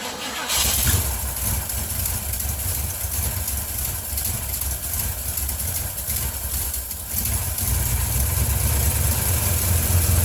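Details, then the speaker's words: 1980 Ford F100 carbureted engine, sitting 29 years; it catches after a brief crank and settles into a deep, steady idle, picking up slightly at the end. "I really can't believe it runs. Now I need to see if it'll drive."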